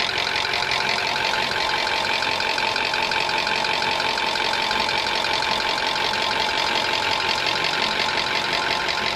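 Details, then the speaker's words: High-mileage Toyota engine, over 300,000 km, at idle: quick light ticking steady over the idle, present hot or cold, slow or fast; top-end valvetrain noise from oil sludge, before engine flush. "And that noise was present whether it was hot, whether it was cold, whether you were driving slow or fast. That type of noise was consistently there."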